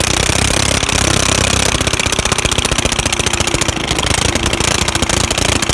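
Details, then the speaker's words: Old lawnmower single-cylinder engine revived after sitting, old muffler removed, head gasket bad: rapid sharp crackling bark running fast with open exhaust; open exhaust, muffler removed. "yeah so i finally got this thing to work and that's what it sounds like with this old crusty muffler off there"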